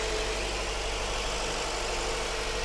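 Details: Subaru Forester with a replacement engine, swapped after the old one burned oil with low compression in all cylinders, just started: smooth even hum with steady low rumble, no knocks or ticks; initial chatter cleared, idling normally.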